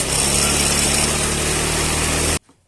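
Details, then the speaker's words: Yamaha Mio Sporty scooter running with a steady high-pitched squeal ("encit-encit") over the engine note, coming from the CVT area. Cause not yet found; CVT squeak. "Kali ini kita kedatangan satu unit sepeda motor, yaitu sepeda motor Mio Sporty yang ada suara encit-encit di bagian CVT."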